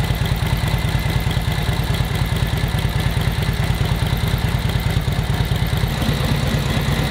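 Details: 1942 Harley-Davidson WLA V-twin, previous non-starter, after distributor and carb overhaul and timing set; steady even low thump at idle about two beats a second, no misfires or knocks; normal idle.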